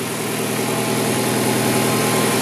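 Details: 2004 Ford Fiesta idling after water pump replacement (original squeal and belt noise from the pump); steady, even hum with no knocks, squeals or rattles; healthy.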